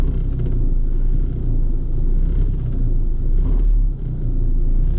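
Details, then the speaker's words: Vehicle in for an AC check, idling with a deep, uneven, shaky rumble and lots of vibration and rattles; excessive engine vibration, worn motor mounts suspected but not confirmed. "i do notice it's very vibey if you hear that our motor mounts"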